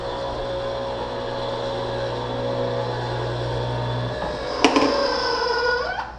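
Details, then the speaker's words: Dishwasher on the ground floor during a home inspection making a terrible noise: loud low droning hum, then a clunk as the note shifts winding down; it runs with no water and doesn't shut off, so it's not operational and probably needs replacing. "I don't know if you can hear that dishwasher. That's making a terrible noise."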